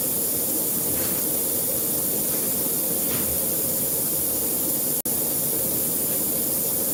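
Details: Broken tire valve core leaking: a steady thin hiss of escaping air throughout; a new core was then fitted with a long core-installing tool.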